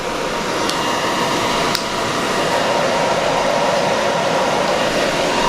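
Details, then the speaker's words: EcoFlow Delta 1300 power station outputting about 2000 W to two electric heaters near max load: constant loud rushing air and steady hum from cooling fans running flat out; normal but very noisy. "well you can really hear the fans going right uh this is one of the biggest downsides of this unit"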